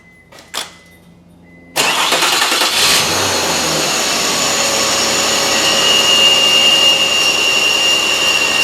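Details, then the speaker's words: Mazda 626 engine, completely cold, before repair: starts into a loud raspy hiss, then a steady high squeal over idle from the idler pulley's bad bearing (19 years, 125,000 miles); pulley was later replaced with belts. "yeah you can really hear the noise was making there huh definitely that pulley definitely did not sound too happy at all"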